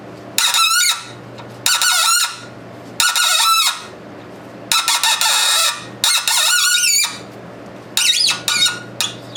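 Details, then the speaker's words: Threading/tapping a fabricated push rod with tap lubricant for a 1919 Domestic side-shaft hit-and-miss engine: shrill wavering scream on each cutting pass, stopping between passes; tool squealing though threads come out good. "so instead of listening to that and forcing it and you know like I say I'm getting beautiful threads with it but you hear the machine is screaming here screaming through to the camera there"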